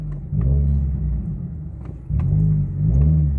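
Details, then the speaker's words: Subaru WRX, runs well only on stage 0 tune; after driving into throttle, revs blip up then sag low and wobble near stalling when coming to a stop before recovering; cause unknown. "And then my look at this shit, the way it's gonna die. Hold on."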